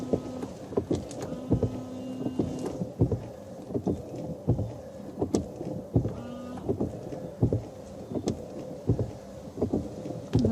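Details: 2009 Renault Grand Scenic III windscreen wipers, nearly new blades, thump and chatter about every 1.5 seconds with a short squeak each stroke; worse on a dirty screen, caused by the blades being on the wrong sides.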